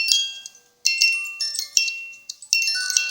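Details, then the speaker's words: One-day cuckoo clock music box, wire released from movement, played during repair/cleaning; clear bright plucked notes in unhurried even tune with clean decay; music box playing normally. "And once it's released, you can hear the music turning. If you put it on a flat wooden surface and you turn it, it will be louder."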